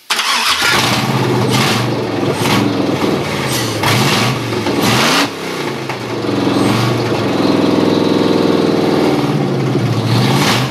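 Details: Chevy 6.0L LS from a 2003 2500HD truck, VATS disabled, first start as a standalone engine with open exhaust and fuel at 60 psi, headed for a Jeep Cherokee XJ swap: cranks, fires and blips several times, then settles into a loud, even idle.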